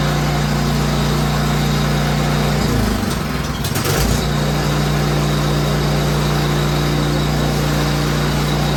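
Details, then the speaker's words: Free 30-inch 10 hp snowblower, fresh gas and oil, choked and primed, just fired up: single-cylinder engine holds a steady even idle, constant low hum, one brief dip and recovery; running normally. "And we're going to turn her on. Turn the fuel on first. See, she fires up."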